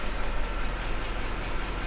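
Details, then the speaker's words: 2006 Ford F-150, 5.4L 3-valve V8, 224,000 miles, idling: low uneven lope with periodic stumble, misfiring badly; codes P0308 (cylinder 8 misfire) and P0316 (misfire on startup). "probably not. It's misfiring pretty bad right now."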